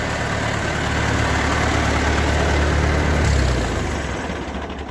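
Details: Ford 8N four-cylinder tractor idling after a spin-on oil filter adapter was fitted; steady, even low idle with a smooth, regular beat and no knocks or misses, running healthy.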